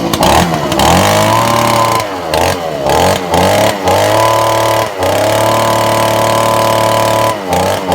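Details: Old Echo two-stroke leaf blower, started after being reassembled following repair. Catches quickly and settles into a clean, steady buzz that picks up crisply on throttle blips: normal running.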